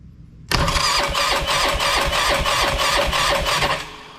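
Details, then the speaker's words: Polaris Sportsman 500 single after top-end rebuild cranking about three compressions a second with no firing; tank has gas and fuel reaches the line, but cranking leaves the rag dry; owner sees no fuel pump output despite crankcase pulse: fuel starvation. "got no fuel coming out of there should have fuel in it definitely got gas in it that ain't the problem got a dashed in it I got no pumpage no fuel pumpage"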